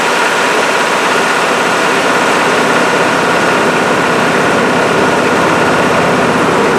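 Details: GM 6.5 diesel engine running after work on a high idle solenoid that had not been engaging; fast, even idle with steady roar, no hunting, surging or knocks: high idle now working as it should.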